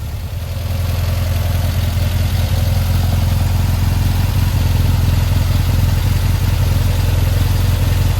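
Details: 1952 VW Split bus, new 1904cc stroker air-cooled flat-four (74mm crank, 90.5mm pistons, replacing 1641cc): steady deep idle with mild valvetrain clatter, no knocks or misses; owner found a leak to check; normal running.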